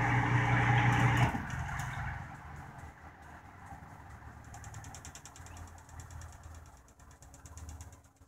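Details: Whirlpool washer in diagnostic test mode after spin: loud steady motor hum cuts off after about a second, then a softer fading rumble as the basket coasts to zero rpm; normal spin-down.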